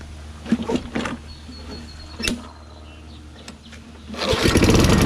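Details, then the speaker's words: Toro Recycler 22-inch self-propelled mower with 6.5 HP Tecumseh engine after carb clean, air filter off: after some clatter and clicks it fires at once into an even, steady putter; normal start and idle. "again are you amazed that this thing starts up just fine because i'm amazed"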